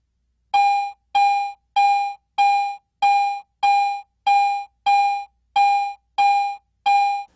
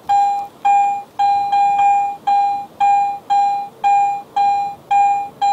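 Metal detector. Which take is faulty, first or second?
first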